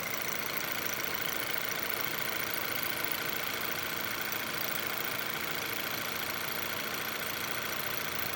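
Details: Car at idle with normal, steady RPM and no misfires: busy, fast metallic clatter, about two ticks a second, over the idle. Loud top-end rattle and ringing; the first suspicion is no oil in the engine, unconfirmed.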